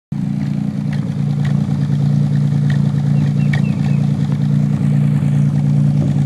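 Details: 1990 Nissan 300ZX at idle: a steady low idle with occasional skipped beats and irregular exhaust puffs, heard on the driver side only. The miss is on #4, a recently fitted used injector; the connector is new and the coil pack good. Cause unconfirmed.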